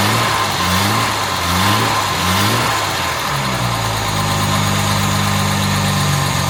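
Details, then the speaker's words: Jaguar MKII after reassembly and water pump work, first run with the radiator refitted: settles to an even idle of roughly 800 rpm with a couple of light rattles on top; sounds healthy overall. "listen to her doesn't she sound good I got a couple of little Ry rles in there but nothing terrible"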